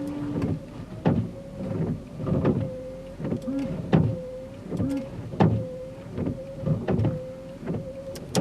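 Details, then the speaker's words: Car windshield wipers running: steady whir with a sharp, loud bang on each sweep as the blade swings past the glass and strikes the body; cause is the wiper blades installed on the wrong sides. "you turn your windshield wipers on you have like a loud banging noise when your windshield wipers are working it'll sound like this right here"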